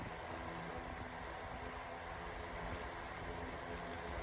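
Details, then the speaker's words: 9-inch Airtek high-velocity fan with light, thin blade set on low, spinning about as fast as another fan on medium: quiet, steady whoosh over faint hum, no ticking or rattle; normal fan running. "I'd say this is about as fast as my Mainstays fan on medium. This fan spins a lot faster due to it having lighter much thinner style blade set."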